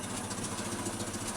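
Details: Land Rover Series 2 four-cylinder that sat for years in a paddock, just restarted: even, steady idle with a soft regular beat, no smoke, knocks or rattles, running smooth. The carburetor likely still needs a kit.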